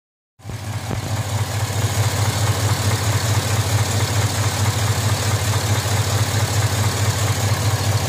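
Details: 2005 Z71 with L33 V8, block rebuilt under 20,000 miles ago, warm idle: deep steady rumble with a regular knock pulsing through, knocking only at operating temperature.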